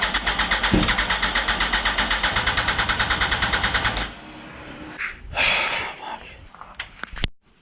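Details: 2004 Yamaha R1 motorcycle, start attempt after sitting over ten years, with new fuel pump, cleaned lines, checked plugs, jumped from a house battery: starter churns about four seconds at a steady beat without firing; cranks but won't start.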